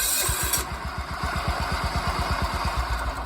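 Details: John Deere 175 Hydro lawn tractor, previously a no-crank and stuttering start, after a starter relay was installed. Quick, even cranking pulses about three a second roll smoothly into a run: the starting circuit now works properly.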